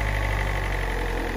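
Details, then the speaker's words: Peugeot 206 SW 1.4 HDi diesel, parked for months, warm after about two minutes of running: steady diesel idle with a faint, fast metallic rattle over the low chug. Quick look shows nothing obvious, so the rattle's source is unconfirmed. "so I'll try and see what's actually rattling enough a quick lock can't really see anything obvious"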